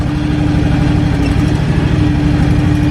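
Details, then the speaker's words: John Deere X724 tractor with 54" snow blower, not fully warmed, while testing blower lift and float; smooth, even engine hum with no knocks, misses or rattles; owner says it sounds pretty good. "i haven't actually tried float on the blower just to see how fast it'll come down i'm sound pretty good though"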